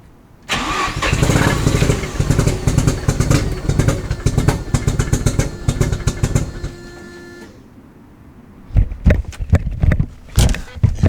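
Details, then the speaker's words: Mazda FD RX7 rotary, passed compression test before purchase, now smokes white heavily and seems to run on one rotor: cranks into ragged uneven chug, stumbles, dies, lumpy restarts. Rough running, won't hold idle; cause undiagnosed, going to rotary specialist. "could just tell by the sound of that that did not sound good"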